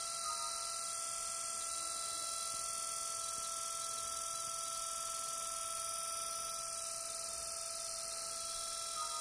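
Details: Six-day-old Lenovo B570 laptop fan gives a steady high whine and buzzy whir at an even pitch, after first making strange noises: abnormal cooling fan whine.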